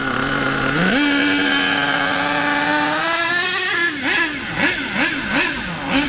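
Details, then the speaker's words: HPI K4.6 nitro engine in a Savage 21 monster truck, just tuned on low- and high-end needles: a high scream rises cleanly, holds, and blips crisply without bogging; normal running, mixture judged right. "now personally n now I wouldn't go any further with that low end and I wouldn't go any further with the high end I reckon now that is running M according to what I think"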